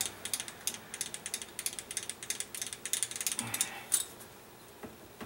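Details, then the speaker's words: Grizzly mini mill Y axis, table rocked by hand with the lead screw not moving: light metallic clunks about three a second from play in the axis. Damage to the nut is suspected rather than the lead screw; recorded before a new nut is fitted. "had it apart you can see the play hear it clunking back and forth the lead screw isn't moving so the damage is on the nut is know what I'm guessing"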